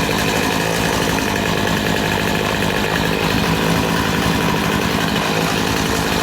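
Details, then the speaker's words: Poulan Pro PP258TP 25cc two-stroke pole saw from an estate sale, long unused. A steady, even, high-revving buzz as it warms up, with no stumbles or surging. It runs smoothly and still needs fine-tuning. "Well, that sounds amazing. That's running really, really nice. I'm very happy with that."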